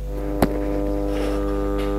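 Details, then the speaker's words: PC speakers, not connected to the computer, produce a loud steady low buzzy mains hum; an easy repair. "this is a typical sound this is the sound of the mains voltage so why do these loudspeakers sound like this"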